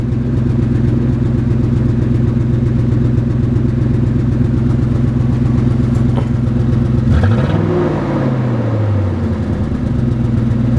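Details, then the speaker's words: 1995 Lincoln Town Car V8 needing a tune-up, exhaust falling off (one muffler, one resonator, so loud): uneven stumbling idle then quick rev; owner plans plugs and wires. Misfire, cause not confirmed. "So, we'll definitely get some plugs and wires in it."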